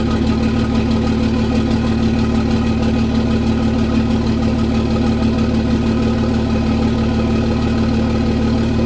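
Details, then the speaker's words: Cummins diesel truck with grid heaters disconnected, cold start at +2 degrees: steady even diesel clatter at settled idle, started fine with no lope or misfire; normal idle. "Started up fine, didn't lope or carry on or do any weird stuff like that."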